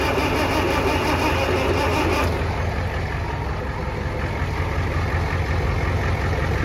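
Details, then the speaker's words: Farmall Cub 140 four-cylinder tractor that sat five years, with gas leaking everywhere: the starter spins it over fast at about three turns a second but it never fires. It was running very hot, and a spark check was planned next. "when I ground it out it spins it over really fast"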